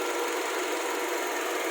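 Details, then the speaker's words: Hyundai Verna petrol engine, earlier misfiring and vibrating heavily with a warning light: now idles smoothly and evenly with no shaking, no warning light and no stored codes on the scan. "कि हमारे engine में किसी भी तरह की definition नहीं है बिल्कुल नॉर्मल है पहले हमारी इंजन में बहुत ज्यादा वाइब्रेशन थी"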